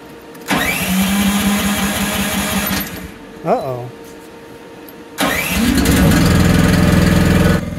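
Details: AGT MX-15R mini excavator engine after cooling fan installation, choke partly on: long rapid cranking of about three seconds without catching, then a second long crank before it finally fires and runs; hard starting.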